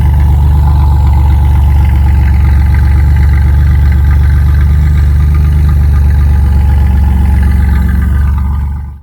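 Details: 1997 Chevy Camaro RS, 3.8L 3800 Series II V6, Cherry Bomb Turbo muffler with new turned-down tailpipe: a deep, steady low rumble, smooth and even, no boom or drone; outside level barely changed, interior drone gone.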